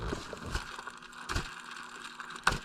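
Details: Mercedes CLS55 AMG with the M113K supercharged engine: hand-spinning the original idler pulley from the rear belt gives a dry, gritty rasp with ratcheting clicks from a shot bearing; being replaced with an upgraded idler pulley kit.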